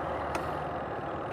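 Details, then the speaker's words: Spin dryer of a Condura 8.5 kg twin-tub washing machine, after repair of a spin dryer that would not run: steady, even whir with one brief click near the start, no knocking or scraping; running normally. "Ayan, may ikot na. Tapos saka ko to hahawakan at papakita ko sa inyo kung gumagana na ba."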